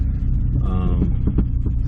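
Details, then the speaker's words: 1998 Honda CR-V after motor mount replacement, noise when turning: deep, uneven throbbing and droning over road rumble, worse than before and quiet going straight; the owner believes the transmission or differential is failing. "i still hear the noise yeah i'm gonna need a transmission oh man that was worse"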